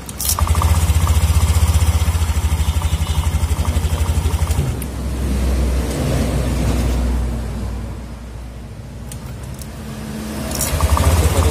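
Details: Honda All New Beat FI 2020 scooter idles right after starting with a light, rhythmic metallic jingle on the exhaust beat, coming from the magneto flywheel area; noise comes and goes.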